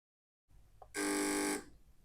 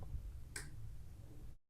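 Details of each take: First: Relay buzzes in harsh bursts, trying to switch on and off, because the MOSFET gate is left floating and a hand touching it acts as an antenna picking up interference; relay cannot be turned off properly. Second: Relay-type test of a MOSFET electronic switch circuit (100 nF capacitor gate-to-ground): single crisp click, no buzz or chatter before or after; switching cleanly.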